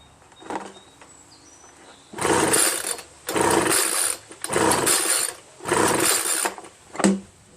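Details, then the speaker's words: Homelite 25cc two-stroke leaf blower, spark and fuel present: four or five quick rasping recoil pulls, each dying away without a single fire; no start because a scored piston killed compression, found at teardown. "God should have done something you know I mean some signs of it should have done some signs of it"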